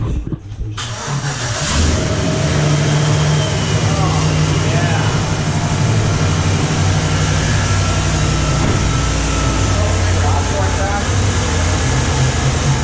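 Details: 2016 Chevy Express 2500 van, 4.8L V8, first start after water pump replacement for a coolant leak: cranks briefly, fires and settles into a steady, even idle with no squeal or knock; the pump is circulating and sounds healthy. Normal idle.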